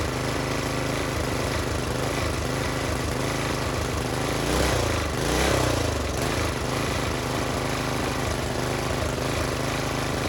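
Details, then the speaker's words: Old Briggs and Stratton-powered Polan Pro tiller, left sitting for years, now fitted with a new China-made Amazon carburetor, new plug, new air filter, new fuel line and filter. It pops along steadily and briefly revs, with the idle screw set high so it won't idle down. Runs normally. "now some of you hear that and you say well that engine ain't running reeled up as high as it is"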